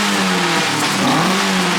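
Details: Toyota 4A-GE after cleaning dirty carb jets and readjusting the carbs: engine note climbs and settles cleanly, smooth even tone with no stumble or popping; now revs as a 4A-GE should.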